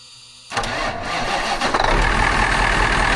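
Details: 1982 Marmon truck with a CAT 3408 diesel, first crank after joining the two battery banks, with 12 volts on the dash: brief crank, catches almost at once and settles into a strong, steady run. Healthy normal start.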